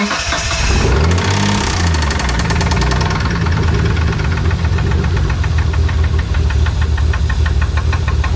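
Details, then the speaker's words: 1992 Dodge Stealth R/T twin turbo running with the valve cover off: revs flare then settle to a rough idle with a sharp repetitive knock; first thought a lifter tick, now a spun rod bearing or bottom-end fault is suspected. "it's not looking good for this thing we're thinking we have either a spun rod bearing something bottom end"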